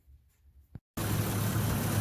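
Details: 2007 Chevy Trailblazer, formerly surging at idle when cold, after throttle body carbon cleaning and idle relearn: after a brief quiet spell the engine settles into a low, steady idle without hunting or surging, much smoother than before.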